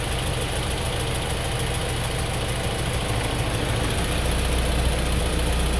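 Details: 2003 Honda S2000 after an AP2 retainer swap and multiple valve adjustments: light, quick ticking of about three a second over a steady idle; valvetrain tick, exact source unclear.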